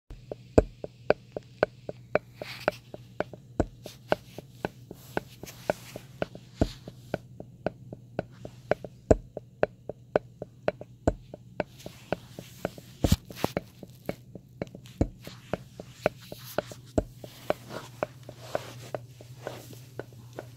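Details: Paradigm Servo 15 v.2 powered subwoofer: sharp, uneven heartbeat-like rhythmic clicks over a low steady hum, occurring with or without a source and on a sine-wave power supply; capacitors inspected, no bloating or leaks; cause unknown.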